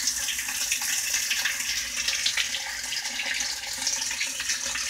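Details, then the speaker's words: Whirlpool washer diagnostic test, cold water valve actuated: steady hiss of water rushing in with no chatter or buzzing; inlet valve filling normally. "let's go ahead and blow advance now we got the hot water valve is actuated so ask about 10 seconds to let that run"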